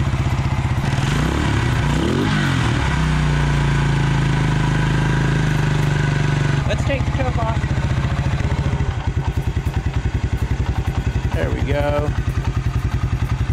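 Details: 1996 Suzuki King Quad 300 ATV, first start after carburetor rebuild with air box and filter removed: single cylinder thumps evenly at idle with small throttle blips; runs fine, possibly a little lean from the unrestricted intake.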